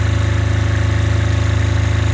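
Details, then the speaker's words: Apache diesel generator in an ice storm, pushed to its absolute limit at about seven thousand-plus watts and about 210 volts, smoking: deep, fast, evenly pulsing drone held at constant speed without stumbling, working hard but running steadily under full load. "pushing about seven thousand plus Watts right now"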